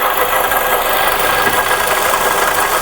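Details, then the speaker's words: Suzuki Ertiga engine running: steady rough gravelly "grug grug" whir, no clear knock; worn water pump with wobbling pulley, bearing-like noise, to be replaced. "So ayan guys, kung naririnig nyo yung tunog na yan, yung parang grug grug grug grug grug grug grug. So yan yung isang issue na papalitan natin. So yan ay yung water pump ng ating Suzuki Ertiga."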